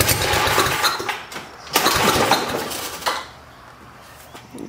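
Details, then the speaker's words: 1972 John Deere 56 mower with swapped-in engine, thought to need priming from the tank: fires raggedly for a couple of seconds, surges once, then dies; starts then stalls, owner suspects flooding. "I don't know what's going on yet uh probably flooded it and yeah I think that's kind of uh relating to our problem so let's look into that little issue"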